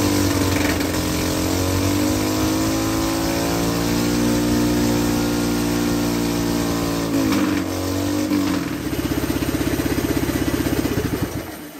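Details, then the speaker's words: Hydrogen combustion engine at full RPM and operating temperature, hydrogen turned down to about 1 PSI so it runs mainly on diesel; steady high-revving single-cylinder drone turning uneven and stumbling, much spluttering but less vibration than before. "That was mainly diesel power. what we just saw there. Um, a lot of spluttering, less vibration than there was before."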